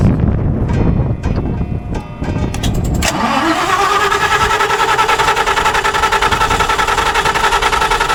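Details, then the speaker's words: 300 kW standby generator in the cold, hard start: uneven cranking with pops for about three seconds, then it catches and runs steadily. Fuel, spark and compression were checked, cause unknown; ignition module suspected, may need replacement. "I had to put the camera down for a minute because the uh the generator wouldn't start so I checked fuel I checked spark I did a compression check and then I put it all back together and now she runs and I have no clue why"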